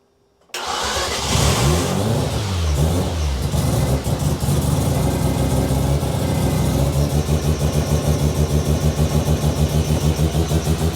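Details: New Mazda 13B bridgeport rotary's first start, with a piggyback battery and accelerator held flat: cranks, catches, revs hard, then settles to a choppy but even idle while the cooling system is bled; healthy first start.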